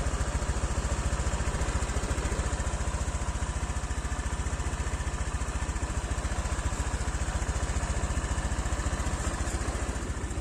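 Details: Honda Vario 125 (old model) scooter run for 1 year 9 months on 100% cooking oil as engine oil, idling before its third oil change. A steady, even low putter with regular firing and no knocks or rattles: a normal idle.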